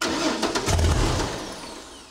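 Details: 1964 Ford flatbed, turbocharged Ford 300 with newly installed FiTech EFI, first start before tuning: brief cranking, then it catches with a rough stumbling roar that sags and fades instead of idling; hard start, EFI still has to learn.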